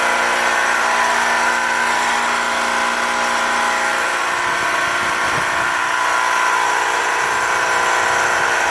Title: Heat Pump Making Loud Noise